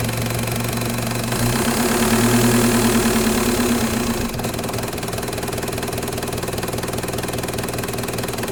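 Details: Mk1 VW with M-TDI swap and Bosch VE pump: diesel climbs, hangs high a couple of seconds and slowly falls; rev hang from wrong throttle lever position.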